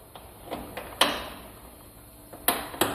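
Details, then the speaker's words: Yamaha Big Bear ATV driveshaft turned slowly by hand, heard up close: irregular sharp snaps and crunches that stop when rotation stops, the odd noise heard while riding; worn universal joint (U-joint kit needed). "oh you guys hear that that's like super clear now now that i got up near and rotate and it stops"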